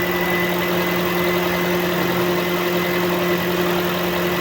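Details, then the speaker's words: Toyota whose coolant temperature rose fast, after the cooling fan repair: a smooth, even idle with a steady fan hum and no knocks or vibration as the fan runs automatically; no overheating, no check engine light, and the fix is confirmed working. "Tahimik yung makina, walang vibration. Gumagana na yung fan."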